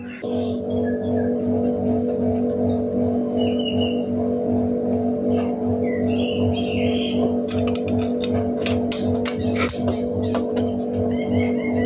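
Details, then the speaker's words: Modenas Kriss 100 single-cylinder motorcycle idling after valve clearance adjustment. The lower valve has been tightened and the upper is slightly tighter, giving a light, even tappet tick that is normal. "Okey, yang bawah ni aku dah ketatkan. Dengar tak? Bunyi dia tu. Macam tu sikit je bunyi dia. Yang atas ni dia kurang sikit bunyi."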